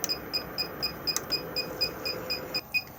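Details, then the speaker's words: Swift Conqueror 480 caravan: high, thin beep repeating about four times a second in a quiet room, alarm that the fresh water tank is empty after being drained; silenced by pressing view levels. "noise you can hear is just indicating that the fresh water tank is now empty, due to the simple fact that obviously I have been emptying it."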